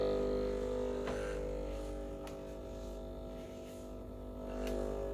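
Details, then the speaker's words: Breville Barista Express BES870 with the rubber blind disc fitted: steady, even pump buzz at one pitch with no sputter or surging. Normal pump operation, reaching about 15 bar full pressure. "There we go. It's more than capable of getting about 15 bars full pressure."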